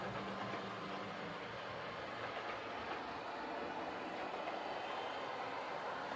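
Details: Old Lima Class 31 model locomotive in freight livery after overhaul with an extra pickup added on the front bogie, running on the layout: even, steady motor whir over light rail clatter, constant speed, no dropouts; normal running.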